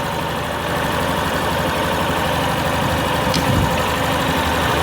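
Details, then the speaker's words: Yamaha Fazer 250 single idling smooth and even, with a steady beat and no tapping, after the cam chain tensioner was released and reset. The earlier "tek-tek" tick is gone and the engine sounds healthy. "barulho dessa moda acabou aquele tektek o acionador agora está em perfeito estado"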